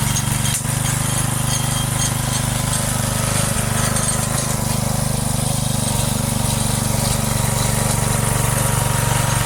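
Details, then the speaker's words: Briggs & Stratton engine on a neglected rototiller whose seized choke, throttle and cables were freed. During a short test run it holds a steady, even chug at constant speed with no misses, knocks or rattles; normal running. "Well, I actually think this is running perfect. It's running really nice."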